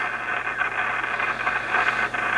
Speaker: So yeah, there's something in there very noisy. And just doing, you know, a visual and just testing, I almost feel like it's something in the VFO that is causing the problem,